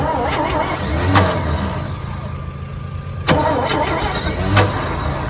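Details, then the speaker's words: 1963 one-ton truck that sat on a yard a long time, fuel poured into the carburetor bowl: steady starter cranking with a few stronger puffs as it tries to catch, but it never fires. "Well, let's see if she does anything. Almost sounds like she wants to."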